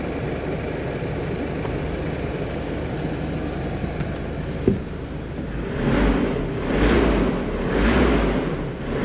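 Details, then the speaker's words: Isuzu D-Max 1.9 diesel, 104,000 miles, used for towing, which cranked without starting due to low, tar-like sludged oil. After an oil and filter change it starts and revs cleanly with no knocks, no smoke and no fault codes. "I think it's going to start well that's just weird there it is foreign runs"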